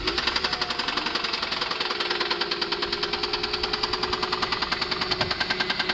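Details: Mercedes W210 E280 4MATIC at idle: sharp, even knocking at about 200 per minute rides over a steady idle, an internal engine knock whose source is not yet pinned down.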